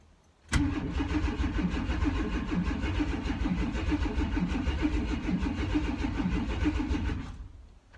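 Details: S10 Blazer sitting five years, new fuel pump priming: about seven seconds of steady starter cranking at roughly three turns a second, never catching; cranks but won't start, fuel reaching engine uncertain.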